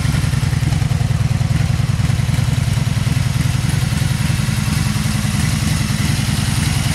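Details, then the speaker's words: Warm 2002 Honda Magna V4 idling in neutral without choke after carburetor rebuild/clean, recorded outside: smooth, even low rumble, steady firing, no knocks or misses; normal idle. "okay got the Honda Magna pulled outside here let's go ahead and start it up and hear this baby purr don't eat no choke this is already warm up neutral neutral [Music] it sounds pretty good"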